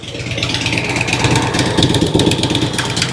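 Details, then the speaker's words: 2006 Harley-Davidson Road King Twin Cam after cam chain tensioner and inner cam bearing replacement, oil change and new battery, idling at 13.9 V: steady, even lope with no lifter, pushrod or valve tick; slight front vibration, maybe a motor mount. "Sounds really, really good."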